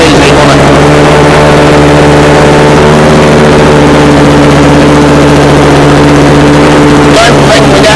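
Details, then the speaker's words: Early-1970s scratch-built radio-controlled boat engine, first start in about twenty years, good compression: steady even buzzy run with no misses, knocks or surging, powerful but not overly loud; running normally. "I like the fact that it's not overly loud"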